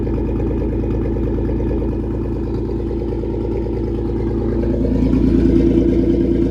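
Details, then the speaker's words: 1996 Toyota 4Runner 3.4L V6 (5VZ-FE), cold engine after head gasket and cylinder head replacement: steady, even cold idle with a smooth low hum lifting slightly at the end, no misses or knocks; runs really good, no check engine light. "I will give you guys a little um cold start. Yeah, the motor's cold and it runs really good now. No check engine light."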